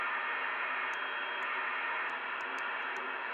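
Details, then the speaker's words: Two-metre band (144–146 MHz) FM receive on a Yaesu FT-5D and another rig, indoors, 12.5 kHz steps: steady hissing digital-sounding static with faint ticks, no digital gateways on; radio frequency interference (QRM). "now you can see all this noise and it sounds like a digital noise now there's no digital gateways on at the moment"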